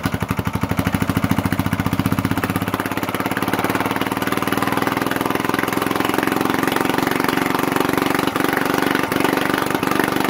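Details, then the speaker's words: 1980s British Lister Petter AC1 4 kVA single-cylinder diesel generator at 3000 rpm, started after a suspected fuel/air issue: a fast, even beat that wavers briefly during self-stabilization, then settles into a steady run; normal. "when it does start you won't be able to hear anything other than the engine because it's pretty loud but it should go through a sort of self-stabilization test where the revs fluctuate up and down and then it will stabilize let's give it a go"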